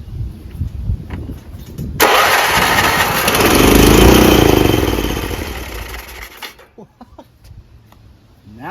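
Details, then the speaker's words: Craftsman RER1000 riding lawn mower after sitting a while, valve covers checked and looking okay: engine fires and roars about four seconds, then revs sag and it dies; turns over but won't stay running, cause not found. "it turns over but doesn't stay running. But everything looked like it was okay."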